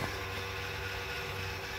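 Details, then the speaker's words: 2004 GMC Envoy, engine shut off after a jump-start, recorded under the driver side: a steady electric motor hum with a fine buzz that keeps running nonstop. It is the ABS pump, which drained the battery; pulling its fuse stops it. "you get that noise and come to find out it's actually the brake pump"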